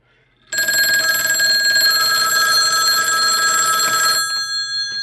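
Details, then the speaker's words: BK Precision 1050 telephone analyzer ring test in normal mode: bright metallic bell rings steadily for about four seconds with the clapper striking evenly; ringer works normally. "So there it is. So the ring works."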